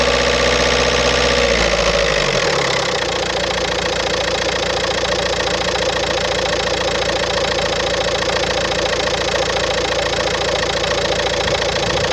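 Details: 2007 VW Golf Trendline, 1.9 TDI diesel (BLS, 77 kW/105 PS), 240,050 km: starts and settles to idle with a steady metallic rattle over the diesel clatter from a defective dual-mass flywheel.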